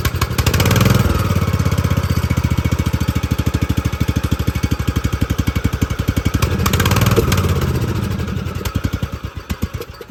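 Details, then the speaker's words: Poland XT gear-drive 42in deck lawn tractor with new Chinese carburetor: fast steady cranking, about four beats a second, surging twice but never catching, because the fuel valve was shut off. "all right guys this is some very complex stuff it really helps if you turn the fuel on before you start the lawn motor"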